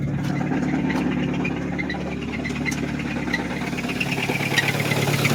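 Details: Nissan Versa small four-cylinder with existing rod knock, broken down, plugs cleaned and gapped without much improvement: rough idle with a steady rapping knock under the engine note, rising as revs climb; engine knock at idle, rod knock.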